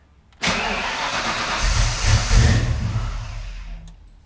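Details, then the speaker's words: Foxbody Mustang after Holley Terminator X EFI install, second start attempt: catches with rough uneven roar surging and sagging; still cranks a few times before starting, owner thinks the fuel needs pulling back a little. "But anyways, um it still is cranking a few times before it starts up. It's much better."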